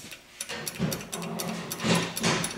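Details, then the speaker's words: 1963 Corvette with Rochester mechanical fuel injection: a newly installed anti-siphon fuel shut-off solenoid valve, temporarily wired to a battery, gives sharp dry clicks each time its housing is grounded; the valve is working properly. "hopefully you guys can hear that click so we ground it and then you take your drill with the fuel pump drive rod you fill the fuel meter up with fuel and then you apply vacuum to the main control diaphragm building"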